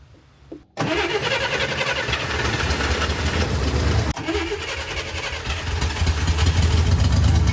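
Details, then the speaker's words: 1964 Chevrolet Corvair barn find, points cleaned, fuel dropped into carbs: engine catches almost immediately, low slightly uneven idle that steadies and firms up; ignition working, normal start. "That's a good sign. The ignition is working and the engine will run."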